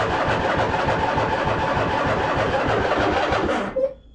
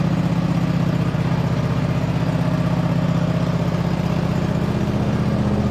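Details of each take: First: 2007 White Outdoors (MTD) CT 54 zero-turn mower, Briggs engine, sat 3-4 years, choked, hydros engaged: starter cranks nearly four seconds but never catches; no start, jumper pack then fitted; cause unconfirmed. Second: 2007 White Outdoors (MTD) CT 54 zero-turn mower, Briggs twin, sat 3-4 years, start on choke after top shroud refitted and factory fuel line hooked up: steady, even low putter at constant speed, no misses, knocks or surging, running on its own; normal idle.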